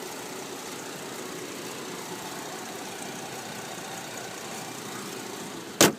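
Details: 2012 Chevrolet Traverse LTZ AWD: soft, even idle hum with no ticking or knocking, just a single clunk near the end; healthy, quiet normal idle.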